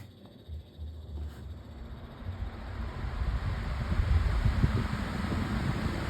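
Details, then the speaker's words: Pedestal fan on high speed: deep uneven throb building as it spins up, with a wobbling rumble and rattling as the whole fan shakes quite a lot; fan shaking at high speed. "And it shakes quite a lot. This is why this is the main problem with it."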